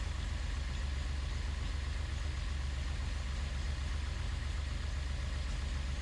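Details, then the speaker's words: Datsun 240Z freshly assembled engine, distributor wires reversed to test rotor orientation: low heavy idle with uneven lumpy beat of about four pulses a second, misfiring and stumbling; rough running. "tried to start it in which it did start still ran bad but I had a lot of judgments to do"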